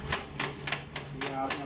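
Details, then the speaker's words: HP LaserJet P3005 printer: sharp, regular clacking three or four times a second over low motor hum; slipping drive gear, also causing pages to hang mid-print and paper jams. "आपने आवाज़ सुनी होगी इसकी। एक तो ये आवाज़ आ रही है, दूसरा ये है कि जब प्रिंट आप देते हैं गेयर वो स्लिप होने की वजह से पेज बीच में हैंग हो जाता है या स्टक हो जाता है, पेपर जैम हो जाता है।"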